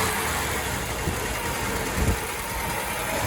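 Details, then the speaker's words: 1987 Ford F-150 with 4.9L (300 cid) inline-six, running on 5 cylinders: uneven idle with irregular low thumps and clickety-clack. Owner considers the motor done and is preparing to swap it. "This is it running on 5 cylinders. And then you can see it's running kind of rough"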